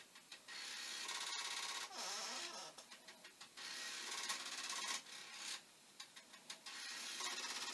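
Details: Commodore 1541 disk drive (test drive's mechanism on the faulty drive's board and power supply) looping a read program during stepper adjustment: fast uneven mechanical clicking and rattling about three per second, no low hum; head knocking against its stop, failing to read.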